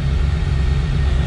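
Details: RV after a new fuel pump and new exhaust (flange reduced from three-inch to two-and-a-half-inch muffler, three-inch tailpipe), idling. Deep, steady low rumble with no ticking, puffing or rattles; exhaust sealed and healthy.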